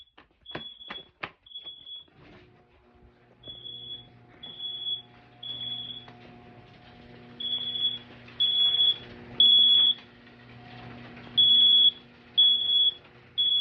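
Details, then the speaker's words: System Sensor SpectrAlert Advance mini horn in a garage, activated from a BG-12 pull station system test: shrill blasts, irregular then steady bursts about every second; horn sounding normally. "It's pretty loud. I don't know if you guys can tell, but this is real, so it's louder than that one with the Bluetooth speaker that I have to do."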